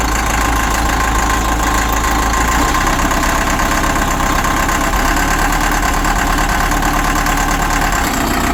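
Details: Caterpillar 950 loader, sitting about 15 years, water drained from fuel, new 24 V batteries, first start: heavy diesel settles into steady low rumble with even clatter, no stumbling; normal idle.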